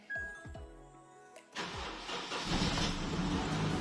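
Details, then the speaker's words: Car with a dead battery started using a 99800 mAh jump starter pack: brief starter crank, then the engine catches and settles to a steady idle. Normal engine start. "we got ignition wow start all right it's on a dead battery"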